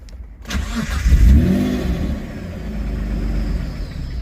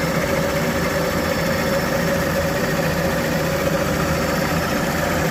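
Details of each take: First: Engine being started for the second time during a rebuild, running without an idle control valve: it cranks and catches with a quick rev, then sags to a shaky low idle and cuts out at tick-over. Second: Engine run for the second time after sitting a long time, warming up and still running lean. Steady, even idle with no knocks and constant pitch. Normal warm idle, though it cuts out at tick-over from a missing idle control valve.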